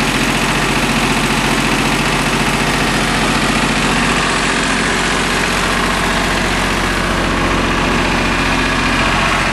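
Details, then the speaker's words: Small three-cylinder Yanmar diesel after bleeding air from the fuel filter and injector lines: loud, steady clatter with even beat, no misses or hunting; healthy normal idle. "now that's what I like to hear all right wasn't too bad"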